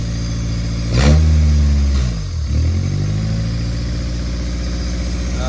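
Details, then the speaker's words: Built Honda D16Y8 just reinstalled in an EG Civic, first start: fast steady idle that dips briefly and recovers without settling lower; owner suspects IACV control, not confirmed. "Axles may be spinning in this right now. I'm not sure. We got a little bit of a high idle."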